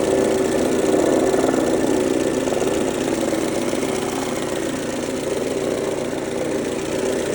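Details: 2003 Mercedes-Benz A140 (W168) petrol engine, 196,000 km, idling with a fast, loose knock of about four per second over the hum. The owner suspects the timing chain or chain tensioner, but this is unconfirmed.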